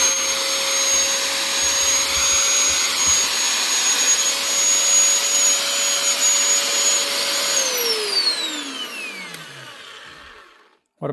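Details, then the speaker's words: Motor running smoothly after new bearings (two) fitted in a heavy-duty power tool's motor during a repair batch; steady even high whine with no grinding or rattle, then clean wind-down after switch-off; healthy motor and bearings. "Two U bearings and that keeps us good quality machine up and running again."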